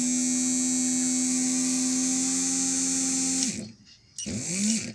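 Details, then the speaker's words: Hummer PLI12 cordless drill/screwdriver that engages and disengages, won't reverse and makes a strange noise: small motor whirs at steady high speed with a harsh hiss, then cuts off; noisy DC motor with dirty commutator. "É, tem alguma coisinha no motor também. Vamos dar uma olhada."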